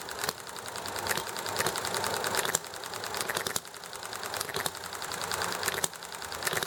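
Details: Enjomor hit-and-miss engine running nicely, with highway traffic and chatting in the background: sharp single firing pops about once a second, coasting quietly between them; healthy, normal hit-and-miss cycle.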